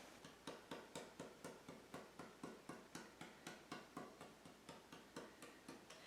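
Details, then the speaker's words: Old violin, probably 1700s, being repaired: tap test on top before closing gives steady taps with clear even ringing tone, no dead thud, much stronger than the thudding middle before repair. "so I don't know if you can hear but that is a much stronger tone and it's tone this time when we opened it the first time there was a little tone on the bottom and a little tone on the top and there was nothing in the middle it was just thudding so now we have tone"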